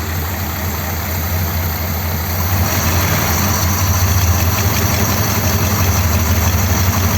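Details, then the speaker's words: 1957 Ford Thunderbird V8, choke not fitted: deep, steady idle burble with even firing beat and no clear stumble, maybe slightly rough; idle basically fine. "that seems okay sounds like it might be slightly r I think out in on the street when it's just in normal use and being run it'll be better than just idling here"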